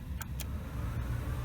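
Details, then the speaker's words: 1991 Honda CRX Si after swap to 1993 Accord climate control unit, at idle: two quick clicks then slight added drone as the AC compressor kicks in; AC engages normally. "hear the compressor for the AC come on - so the AC is working bankage sure is working"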